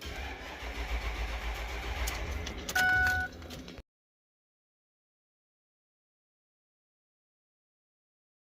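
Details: 2006 Ford 6.0 Powerstroke diesel, 139,000 miles: slow, labouring starter churn for a few seconds with a booster on the battery that never catches, then silence; crank no start from low injection control pressure, suspected high-pressure oil leak.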